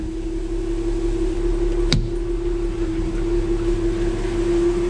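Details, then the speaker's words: 1966 Ford F100 300 inline-six with onboard engine-driven air compressor, engine running: steady mid-pitched compressor hum over the engine rumble with one sharp click, possibly the pop-off valve; compressor shuts off when clutch pushed in; normal. "is that the pop-off going off sweet you hear that compressor running push the clutch in shuts off"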